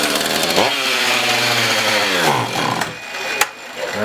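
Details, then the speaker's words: Husqvarna 450 X-Torq chainsaw after carb pump diaphragm replacement: revs climb then sag and fade unevenly, hunting instead of holding, starving for fuel and running lean; a hole then found in the primer bulb. "starving for fuel"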